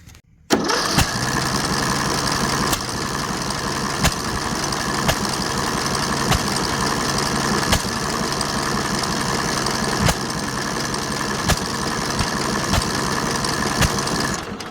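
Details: Briggs & Stratton 18 HP single OHC engine on a Husky mower that wouldn't start: runs roughly with sharp irregular pops about every second; exhaust valve seat had lifted out of the head, later reset and relapped.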